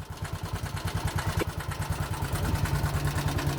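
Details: 2020 Bajaj Boxer X150 at idle, shaking violently: heavy, uneven low knocking; later found worn piston rubbing cylinder walls, fixed by piston replacement.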